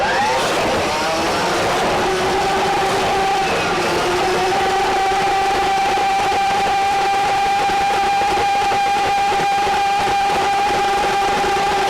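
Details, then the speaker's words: RIDGID K7500 drum drain-cleaning machine, universal motor, switched back to forward after jogging in reverse: motor winds up to a steady high whine with even pitch as the cable feeds, running smoothly without bogging. "now that I've gotten through that I'm going to go ahead and put the Machine of forward and continue to run it"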